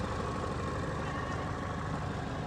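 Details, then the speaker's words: Chevrolet Equinox, warm idle after a drive; steady, smooth, quiet idle with no knocks, misses or whine; running good with plenty of power. "But she's running good. Smooth and quiet. Plenty of power."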